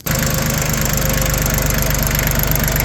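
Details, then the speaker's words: Completely refurbished Yanmar YM1720D 4x4 compact diesel tractor with new hoses, belt, starter, battery and air filter, just started: a steady, even low chug at idle with no knocks or misses and no smoke, running like a top. "Really good. Runs like a top."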